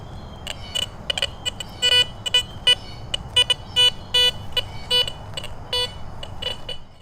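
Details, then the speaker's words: Garrett Vortex VX9 multi-frequency with bottle cap reject raised from 2 to 5 over a suspected iron target: short, choppy high beeps in irregular bursts, broken jumpy audio with numbers jumping and iron-range pings. "Super jumpy. Come look at the screen here in a second. You can hear all that broken audio."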